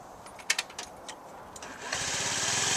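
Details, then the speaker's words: Honda Metropolitan scooter after fuel pump and fuel filter replacement, previously ticking from the failed pump: a few light clicks, then the engine catches and settles into a steady, even buzz with no ticking; running normally. "I'm real happy about it man no more noise it runs very nice"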